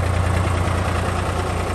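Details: 1961 Porsche Diesel three-cylinder tractor at idle, recorded handheld: steady low diesel thrum, even and unhurried with no knocks or misses. It is running healthy.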